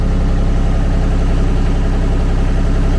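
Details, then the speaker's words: Kymron XTL30 mini skid steer, brand-new Kubota D1105 diesel at 8.1 hours, during an oil change service: steady, even idle with a firm low thrum, no knocks or high-pitched noise; normal, very smooth idle. "don't know if you can hear, but the engine settled down, right? So it's got a very even sound. You don't have any high-pitched noise. There's nothing abnormal. The idle is normal, very smooth."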